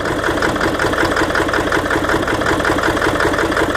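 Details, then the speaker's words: 1997 Ford F250 Power Stroke diesel with a hard-start problem, just started after glow plug cycle: uneven, lumpy idle with a little smoke, running rough; owner suspects it is running on about six cylinders, cause unknown. "Got a little bit of smoke, not too bad. But she's definitely a rough runner."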